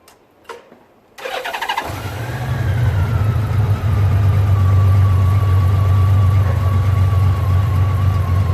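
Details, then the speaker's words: 2004 Honda Valkyrie Rune motorcycle after an Amsoil 10W-40 oil change (previous change about one year and 15,000 miles ago), first startup: fuel pump whistle, brief starter whir, then a steady even low idle, smooth with barely any vibration; healthy. "I can hear it a little bit, but not much. Not much. Sit on this, you can't even feel it. I can't even feel any vibration. Smooth as silk."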